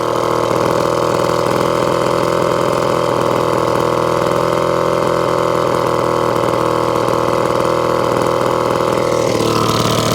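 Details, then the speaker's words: 1954 Atco Midget lawnmower, Villiers two-stroke, unstarted over 10 years, kick started on half choke warming up; steady even burble at fast warm-up idle, lifting slightly near end, no misses; normal two-stroke idle. "i'm going to take off a choke i've got about half choke i got let it warm up it's a two-stroker"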